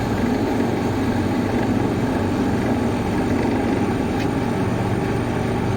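Steady, even whoosh of air with a smooth motor hum, no rubbing or ticking; fan motor running normally.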